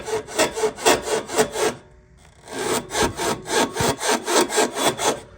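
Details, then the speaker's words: 2005 Honda Element EX 4WD automatic front suspension over bumps: dry rhythmic creak about four times a second in two bursts, no engine noise; worn strut top mount. "so it's the top mount up there"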